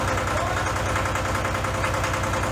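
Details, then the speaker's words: Case 485 loader tractor diesel, first start after head removal and coolant-leak repair: lumpy, uneven idle thump with white smoke; injectors suspected sticking open, later found one dumping fuel and another with a poor spray pattern. "No, that doesn't sound right. No, really, I think those injectors might be sticking open. I think they are. It's flooding."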